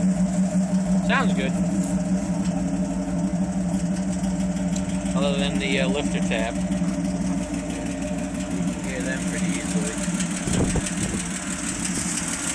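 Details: 1981 Jeep CJ-7 with 1975 AMC 232 inline six, about 300,000 miles, Pacesetter header, Holley 390 cfm 4-barrel, 2.5-inch exhaust with Flowmaster muffler, 5-7 psi oil pressure, warm after a run: idle with a light, quick top-end lifter tick.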